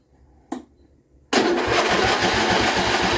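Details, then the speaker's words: John Deere L120 after carburetor replacement, cranking with choke; battery run down from repeated cranking. Steady chug about four times a second, no catch; abnormally long crank, hard starting. "Give it a little bit of throttle. Still a really long crank. It shouldn't take that long."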